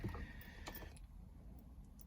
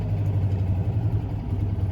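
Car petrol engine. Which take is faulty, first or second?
second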